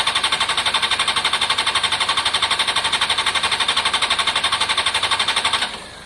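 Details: Honda CBR600 F4i non-runner, accident-damaged, after injector cleaning with cleaner and fresh fuel: starter spins at an even four pulses a second for six seconds, never catches. Owner hears no fuel pump prime and suspects fuel delivery.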